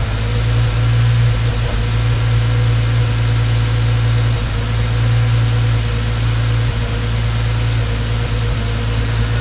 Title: Random misfires